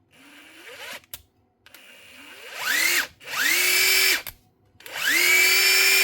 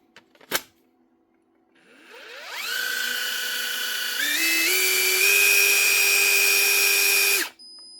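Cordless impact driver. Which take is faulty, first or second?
first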